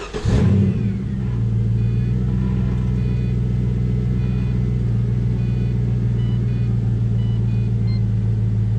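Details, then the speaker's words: 2004 Pontiac GTO after throttle position sensor replacement, TPS codes cleared and idle relearn: starts quickly, smooth steady even idle with deep constant rumble, revs up good, no misfire; no DTCs afterward. "Car revs up good, sounds good. All we got left is a test drive."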